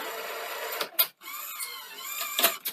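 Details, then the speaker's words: Sony SL-C30 Betamax VCR during repair and alignment, tape unload test: brisk whirring motor with light clicks and a couple of firm clunks as the tape unloads cleanly; mechanism works properly. "that's actually really good wow actually quite surprised how good that is"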